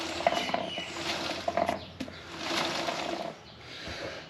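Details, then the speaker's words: KTM 1290 Super Adventure rear wheel after a puncture patch, turned slowly by hand: irregular light clicks and rattles; tyre pressure sensor likely broken off during tyre fitting and tumbling loose inside the tyre. "a rattling noise inside the tire when I was putting the tire on it there's uh pressure sensor inside and inside the revolve inside the tire and that communicates with the dash electronically"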